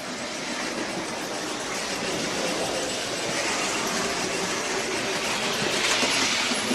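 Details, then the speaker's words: Bachmann Caledonian 812 class OO gauge steam locomotive during running in, reversing at about 55 percent power: thin high squeak over the steady motor whirr; squeak developed during running in, source not yet found. "it also somewhat to my concern seems to have developed a bit of a squeak as well"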